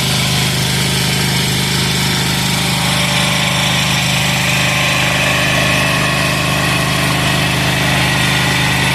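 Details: Amazon 186FA single-cylinder diesel test-running on about one cup of Road Tech synthetic blend 10W-30 motor oil as fuel, with some diesel possibly left in the line, throttle about half: a steady, even, low chug with a clattery top end, no misses or hunting; normal idle.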